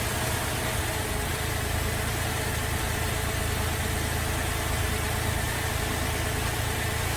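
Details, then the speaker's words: Holden VZ Adventra Alloytec V6 idling very rough with uneven stumbling pulse; disconnecting coils one at a time shows number 5 ignition coil pack has failed and needs replacing. "So I'm going to start the car up. It's running very rough and we'll disconnect a coil at a time and see which one we think is bad."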